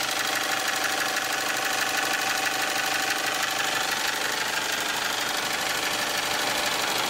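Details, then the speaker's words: 1998 Toyota RAV4 at idle: a fast, light tapping turns sharper as revs drop. Owner suspects valve shims worn to the far end of tolerance from previous owners skipping oil changes, despite a redone head. The clatter is noticeable but not loud. "you hear more clatter as it gets slower [Applause] it's not obnoxiously loud but it's noticeable"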